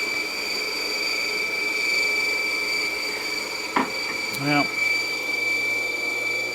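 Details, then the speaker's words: Pond waterfall pump that ran last year, started in spring after winter: constant high-pitched whine and hum with handling clicks; runs noisily; rotor freeze-seized, freed manually, then quieter. "Well, that pump lamp ran last year. Why isn't it running now? Why is it making so much noise? Sounds like a"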